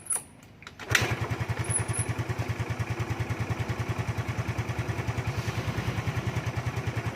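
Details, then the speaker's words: Carbureted Yamaha Fino, first morning cold start by kick (battery dead) after a part was replaced and left overnight: fires on one kick and settles into a clean, even putter of about three beats a second; healthy cold start after repair. "อันนี้ครั้งแรกนะเี่ครั้งตอนเช้าครั้งแรกนะครับผมจะสตาร์ทเท้านะครับเพราะว่าไอ้แบตเตอรี่มันหมดนะ"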